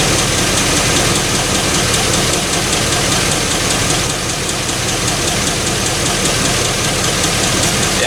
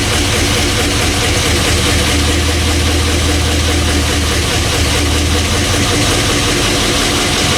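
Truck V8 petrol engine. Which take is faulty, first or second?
second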